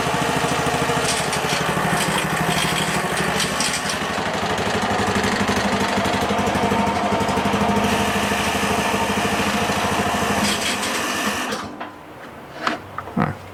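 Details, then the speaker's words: Toro 21-inch single-cylinder mower after carburetor cleaning and reassembly: runs fast and busy with slight uneven surging and an unidentified rattle, then cuts out; engine hunting. "There was a weird noise. I'm not 100% sure what that was. Kind of sounds like something's rattling."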